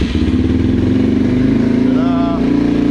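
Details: Yamaha TTR230 single-cylinder cold morning start after full carburetor cleaning (floats, pilot and main jets, needle valve), choke on: steady even idle with regular firing beat, no misses or stumbles; normal idle, hard start fixed.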